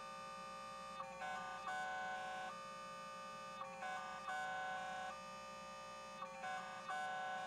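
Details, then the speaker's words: Dial-up handshake via Dial-Up for Less over a POTS landline with an internal modem on a Windows 98 SE Pentium II PC; rough, unsteady warbling tones in a repeating rhythmic pattern, noisy phone line. "Let's try Dial-Up for Less on POTS with the internal modem again. Oh, it's so noisy. Y'all hear that? Sounds bad."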